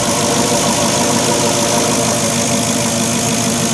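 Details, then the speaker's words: Porsche Cayenne Turbo 955 engine idling after a boost leak was repaired with silicon hoses and a tee: smooth, steady idle with an even rumble, no ticking or hissing; sounds a lot better, normal idle. "let's just see if it's made a difference now sounds a lot better than it did some lovely grand"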